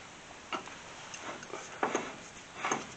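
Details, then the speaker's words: 1969 Plymouth Barracuda with Hemi swap, Wilwood brake kit install: three soft, uneven clicks as the rotor is turned slowly by hand; clicking from caliper/rotor, likely the hub torqued too tight, improved after backing it off. "There's a clicking sound, and we can't figure out something about the caliper on the rotor. And so we got to figure that out."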